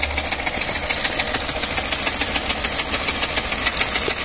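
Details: Chevrolet Onix 2022/2023 three-cylinder with oil-bathed belt, 70,674 km, Helper clutch fitted at 62,000 km: a fast metallic rattle at idle near the gearbox, about three per second with the clutch released; fixed by fitting the original clutch.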